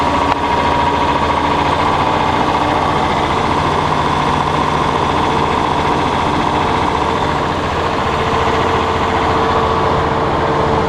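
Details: John Deere 6600 combine diesel revved up: steady high-revving drone with no knock, as the degraded, too-short belt tightens at speed; at low speed the idler pulley bounces against the case floor. New belt ordered.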